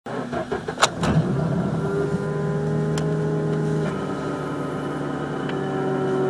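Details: Mazda RX-8 rotary cold start: brief crank, then a fast cold idle with a steady whine, heard after the oil cooler lines were replaced; cause never found, some suspect changed oil flow.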